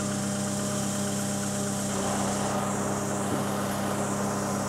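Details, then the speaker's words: 2020 John Deere ProGator transmission, clutch released at idle: steady droning hum and rough growl from the gearbox, input shaft bearing going out; bearing later replaced. "you want to hear what a progator input shaft bearing sounds like when it's going out"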